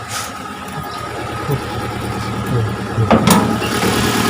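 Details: Chery QQ 311 petrol engine: catches and settles into an uneven, stumbling idle with an unsteady beat, misfiring at idle.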